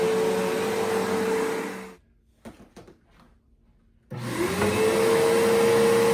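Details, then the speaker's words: About 20-year-old Bissell PowerForce 3522-1 bagged upright vacuum during house carpet cleaning: steady even motor whine with airflow rush, brief pause, then spins back up smoothly; motor running normally. "Yeah, the fact that this still runs perfectly fine."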